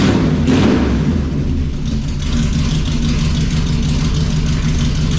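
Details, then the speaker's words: 1968 Chrysler Newport V8 with new headers and a homemade exhaust, driven only about four miles, warming at a slightly raised idle with headers still smoking. A deep, even burble with no knocks or misses: a healthy idle. "I uh took the idle up a little bit a let warm up a little bit still got still got a little bit of smoke coming off these new headers I've only driven it like four miles total but uh sounds awesome"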